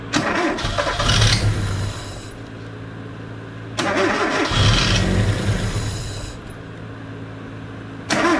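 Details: LPG-converted car that had intermittent stumbling and unsteady idle, after new spark plugs were fitted: the engine catches, revs a few times, then settles to an even idle with no stumbling. Fixed.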